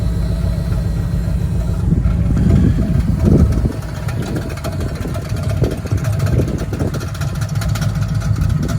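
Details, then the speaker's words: Wrecker truck engine idling with rapid irregular clatter and slapping under the hood; the idler pulley's nut apparently came loose, the pulley is coming off and hitting the back of the fan. "oh our idler pulley is coming off and it's been hitting the back of our fan"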